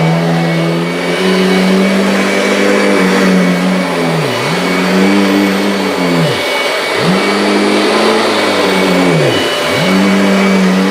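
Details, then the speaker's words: Kirby vacuum with a worn belt; it stalls on the belt when the height is set too low and the belt light flickers. A steady motor hum repeatedly sags and recovers as the motor struggles on the slipping belt, so a new belt is needed. "I think I need to fit a new belt because it is struggling. The suction's so powerful."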